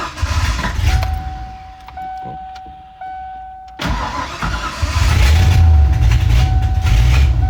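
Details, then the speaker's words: Ford Ranger with swapped 5.0 V8, first run after completing the build: cranks and fires, rough idle with sharp puffing tick three or four times a second over the rumble; bad exhaust leak, to be fixed. "Yeah, you can hear the exhaust leak pretty bad, but [Music] [Music] But yeah, so it uh it doesn't run too bad though. Just that exhaust leak sounds like ass, but we'll fix it."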